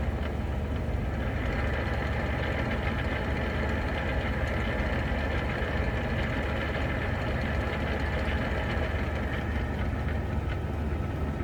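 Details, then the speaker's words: Jeep TJ with NV3550 manual gearbox, idling in gear with clutch barely released: dense loose metallic rattle like a can of marbles that stops with clutch pressed; owner suspects the input shaft bearing, not the throwout bearing. "Oh, you could really hear it. Eh, [ __ ] can of marbles."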